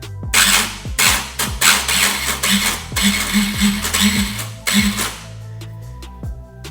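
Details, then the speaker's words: Power Wheels Ford Ranger with engine swap failing to crank; each starter attempt gives harsh crunching grind in short repeated bursts; owner suspects not the starter motor but the clutch gear it meshes with inside the housing. "so that noise there what I think it is I don't think it's the Star Motor itself I think it's the gear that it it meshes with inside this housing just inside there like the starter motor clutch gear or whatnot"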